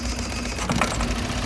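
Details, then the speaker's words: 2003 Toyota Runx 1NZ petrol four-cylinder with cylinders 2 and 3 disabled: heavy vibrating rumble with hesitation on rev, a severe two-cylinder misfire. "Now you can see the engine is vibrating a lot, the noise is much heavier. This is what constitutes a very bad misfire, because now we don't have cylinder 2 and we also don't have cylinder 3 running at all."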